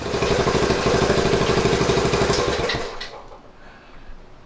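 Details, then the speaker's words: 1970 Honda Trail 90 single-cylinder, stored about 20 years, first run after cleaning contaminated tank and carburetor: even steady beat about three pulses a second, then shut off; healthy idle, owner suspects possible oil burning. "Couldn't really ask for better than that. Horhay's coming along nicely."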